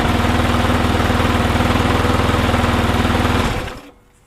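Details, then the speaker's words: Cheap never-used lawn mower, missing parts, first run after getting it started: loud, hard-thumping single-cylinder beat, slightly uneven, runs about three seconds then dies; smoky, noisy rough running. "right so what's running full a 12o smokey and make lots of noises"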